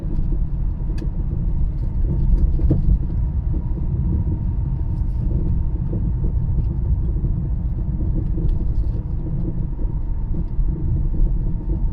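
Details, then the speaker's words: Vehicle on road test over uneven surfaces: irregular dull knocks coming and going with bumps over road rumble. "so when you hear a noise like that that's coming in and out as you go over uneven surfaces you have to start to think about the items that can move up and down that stabilize the vehicle"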